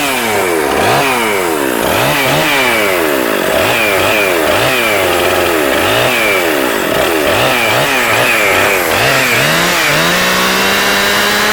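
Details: Husqvarna 257 two-stroke chainsaw with a 20-inch bar, starts and runs; blipped repeatedly, it drops back to a low burble that still drags the chain, so the clutch engages at idle and needs replacing.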